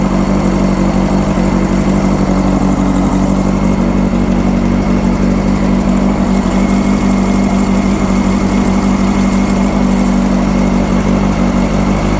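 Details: 1995 Honda CBR600F inline four, warming up after sitting a very long time, with the fuel gravity-fed and WD40 added: a steady, even, smooth, regular engine note with no knocks or misses; runs nice and quiet, healthy.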